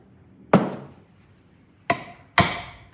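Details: 1962 Buick LeSabre engine, stored outside for decades, head removed, valve tapped by dropping a tool on it: four sharp metallic taps ringing briefly and cleanly; valve drops and rebounds freely, not stuck.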